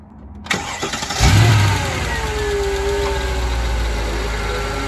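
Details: Mercedes ML55 AMG V8 petrol engine after new valve cover gaskets, spark plugs, throttle body clean and a new expansion tank cap cranks briefly, catches with a rev flare, then settles into a steady, even idle.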